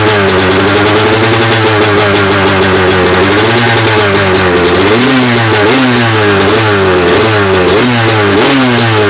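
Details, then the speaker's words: 2002 Honda CR250 two-stroke after Vertex top end rebuild, warm day, choked, without flywheel weight: crisp rasp rising and falling with throttle blips, revving freely, no knock; more vibration, coolant leaking from overflow; normal running. "Well, it vibrates a lot more without that flywheel weight on there"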